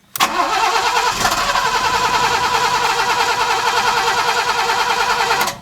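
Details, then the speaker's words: Alfa Romeo 90 standing 22 years, new coil fitted, fuel reaching the rail; steady fast starter churn for five seconds with no catch after many attempts; cranks but won't fire. "so after many attempts as you saw the thing still doesn't start so what I'm gonna do is the last thing that I can find is the fuel problem"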